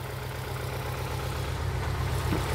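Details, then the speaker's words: 2011 Ford Escape 2.5L with P0301 cylinder 1 misfire; engine vibrating badly, rough lumpy idle stumbling every few beats, no change when cylinder 1 coil or injector unplugged; misfire from low compression. "So we'll get this thing fired up and you'll hear immediately that it's not running well. All right, the engine's vibrating really badly. And yeah, it's just not running well at all."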